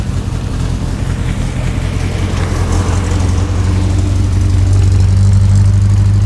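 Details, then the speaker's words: 1967 Morgan Plus 4 Drop Head Coupe just started after years unused; fast idle with slightly rough beat steadying, falling from about 1,200 through 1,000 to 800 rpm, rocking a little; high idle settling after cold start. "1,200 yeah 1,000 like 900 800 rocks a little bit"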